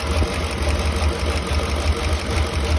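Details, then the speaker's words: Engine with a misfire: lumpy, uneven idle stumbling about once a second; new coils fitted, unplugging injector made no difference; compression test shows zero compression in that cylinder, which is completely dead. "there's literally zero compression out of this hole I mean absolutely nothing"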